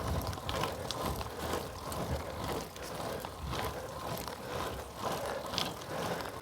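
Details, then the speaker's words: Bicycle disc brake after truing a warped rotor with an adjustable wrench, pedalled hard: only light drivetrain ticks and tyre hum, with no rhythmic scrape. The rotor runs clear with no rub. "not a single sound"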